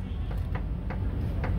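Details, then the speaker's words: 2007 Ford Explorer front end: sharp light clicks, about four in under two seconds, over a low rumble from a worn inner tie rod. Pulling on the tie rod assembly makes some of the tapping go away. "if i pull here watch what happens some of it goes away inner tie rod tap tap tap tap tap"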